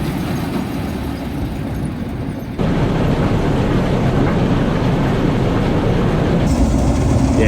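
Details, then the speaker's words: Combine side knife after repair of bent/cast section (welded, still slightly kinked, one section broken), likely twisted by overgrown hedges: steady rumble with even rapid knife chatter, no knocking or grinding; working fine, normal operation. "Yeah, it's working fine, we'll crack on."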